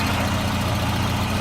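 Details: Volvo 240 idling after fuel pressure regulator replacement; before the repair it barely started and wouldn't run, with a fuel-wet vacuum line pointing to a failed diaphragm. Now a steady, even low idle with no misses, stumbles or hunting; repair successful.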